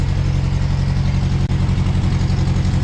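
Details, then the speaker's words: Toyota crawler just after an engine swap, first start: a low idle with a slightly uneven, stumbling, hunting pulse about three beats a second, with no smoke. Despite new fuel, the owner suspects residual water in the fuel. "Sounds like there's maybe a little bit of water in the fuel, maybe. I put new fuel in it, but there might be some residual or whatever."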